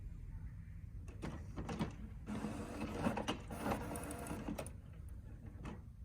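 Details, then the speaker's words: HP OfficeJet Pro 8100 running level 3 printhead cleaning (power held, X twice, paper three times); quiet irregular whirring and clicking as carriage and pump cycle back and forth, a normal cleaning cycle. "You must wait while head is cleaning."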